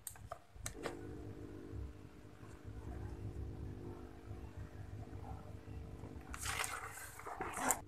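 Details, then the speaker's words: Aquarium air pump (aerator) running after being wrapped in cloth and taped as a sound damper: low, steady, even hum with no rattle or buzz; noise reduced significantly but not fully gone, bubble output unchanged. "Jadi, dapat dipastikan bahwa metode ini tidak akan mengurangi jumlah gelembung yang dihasilkan, tetapi dapat meredam suara."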